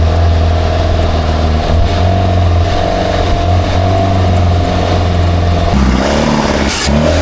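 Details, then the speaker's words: Engine of a free, long-neglected Baretta boat, dirty carburettor: revs strongly with a steady drone and a faint rattly ping under load; running lean, carb needs more fuel; charging almost 14 volts. "There it is. Yeah, buddy. Has a little ping in it, BUT RUNNING PRETTY GOOD. I need a little more fuel in that carb."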